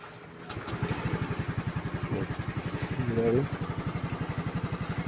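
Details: Yamaha scooter that wouldn't start after riding through floodwater, after drying the stand and kill-switch contacts: starter catches and it settles into an even putter, about eight beats a second; idling normally.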